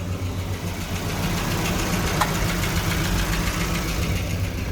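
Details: Evotech 2.7 engine (Gazelle) idling with an uneven knock, about three to four a second, from inside the engine; hydraulic lifters possibly suspected, cause not confirmed.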